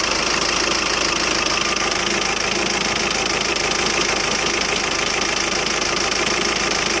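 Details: 2007 Skoda Octavia vRS PD TDI 170 diesel at tickover, engine rocking and streaming unburnt-diesel-smelling smoke: harsh rattly clatter of about 200 per minute, running rough; owner suspects an injector problem.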